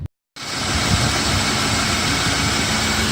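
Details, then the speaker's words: BMW E34 M50 after replacing the belt tensioner mechanism and rollers: smooth, constant idle with a clean hiss and hum and no cricket-like chirp or squeak, the engine running evenly. "как слышите звук пропал мотор работает как часы"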